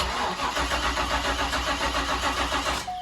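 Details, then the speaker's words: 1990s Corvette C5 manual after replacement PCM install and security relearn (security light off): cranks at about three and a half beats a second but never fires; no fuel, fuel pump not running. "right so progress has been made but we've still not got any fuel so what I'm gonna do is I'm going to jump with a fuel pump"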